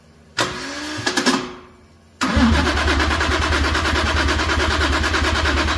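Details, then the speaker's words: Toyota Chaser 1JZ-GTE swap, started by manually bridging the starter relay after a wiring no-crank fault, with fuel and spark confirmed; quick whirring cranking for about two seconds, then it catches and settles into a steady, even idle. Normal start. "Fire up the old uh relay. So this should start cuz we got fuel. We got spark."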